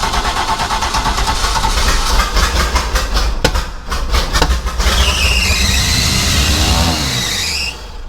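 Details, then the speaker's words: 1996 Baja Outlaw 20 boat, 5.7L MerCruiser V8, started on starting fluid after a new fuel filter: engine surges and races up on its own, then sags and dies; too much fuel, float or needle spring from a cheap rebuild kit not seating. "I don't know what that was but it started running away I just have too much fuel or the float might be stuck"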